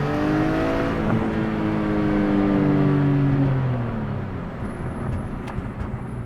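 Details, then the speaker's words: 2006 BMW E46 M3 with SMG gearbox after CSL SMG flash, warmed up in sport mode, downshifting third to second: smooth rev-matched downshift, then soft crackly burble on overrun around 3,000 rpm; sounds healthy. "And then around 3,000 RPM, you hear the burble on it."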